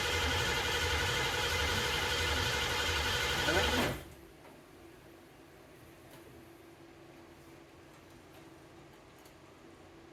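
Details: 1969 Ford Mustang 302 small-block V8 restoration, first start: starter churns evenly at about two to three beats a second for four seconds, then stops; engine never fires; cranks but will not start.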